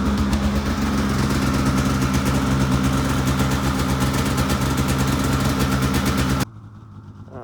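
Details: 2006 Polaris 700 IQ Classic snowmobile, recorded outside after sitting a few weeks and starting once the weak battery was charged: steady, even two-stroke burble with no misses or knocks. Normal idle.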